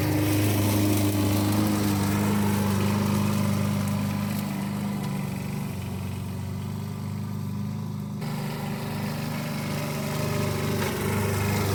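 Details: 1988 Briggs & Stratton push mower with auto choke, after a diaphragm repair, cutting without a bag: even drone that dips briefly under grass load, then recovers cleanly without hunting or stalling; runs properly.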